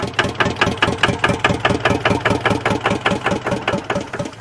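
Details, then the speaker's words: Diesel 4x4 man-lift engine chugs slowly and unevenly then dies out, air bubble in the fuel system starving it of fuel; owner plans a new lift pump. "oh why is it dying out again yeah once again I've got an air bubble in the system not getting enough fuel up here to the top"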